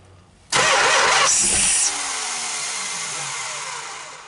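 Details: Mopar 440 big block, first start attempt in 23 years, low miles, strong spark confirmed: loud starter whirring for about a second and a half, then winds down without catching; crank no start, owner suspects no fuel and plans to add gas.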